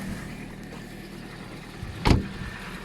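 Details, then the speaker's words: Ford Focus 2 1.6 115 hp at about 163,000 km, cold start in the morning on oil due for change; low steady idle, knock not yet present but faintly beginning to appear; normal cold idle so far. "сейчас кстати тоже пока нет чему-то вот он начинает появляться немножко из долей как будто начинает появляться"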